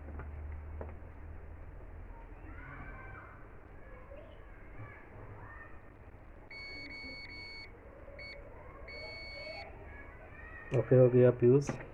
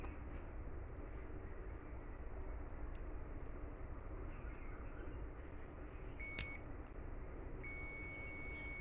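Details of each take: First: 2kVA UPS charger card repair: multimeter in continuity mode across the refitted fuse gives a few short thin high beeps on a quiet bench, so the fuse is good. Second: 2kVA UPS charger card: multimeter in continuity mode across the bridge rectifier gives a steady continuity beep over quiet room hum, showing a short circuit in the rectifier.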